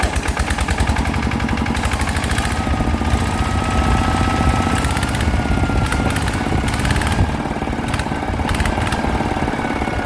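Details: Thai motorcycle with a Chao Phalang (เจ้าพลัง) fuel-injected engine, side cover converted to Chao Lok (เจ้าโลก), after gears replaced to cure gear noise: steady, even single-cylinder thumping at constant speed, no knocking or gear clatter; runs normally.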